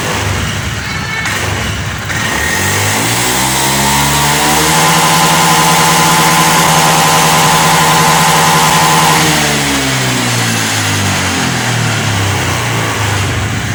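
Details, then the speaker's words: Honda Beat ESP FI scooter that stuttered at full throttle with the MIL flashing 8 times, TPS tested normal, after repairing the TPS signal wiring: revs cleanly and returns to an even idle with no stutter; running normally. "oke teman-teman masalah kedipan Del sensor TP ketika gasp di sini sudah hilang dan motor sudah tidak berebet lagi sudah normal"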